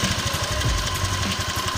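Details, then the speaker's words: Honda Vario 125 scooter after rubber spacer fitted so the rear fender bolt sits tight: engine runs with an even low thrum, only faint occasional knocks; fender rattle mostly gone. "bunyinya udah lumayan hilang kan. Mungkin buat kalian yang punya masalah yang sama di Metallica bisa aja pakai cara ini cuy."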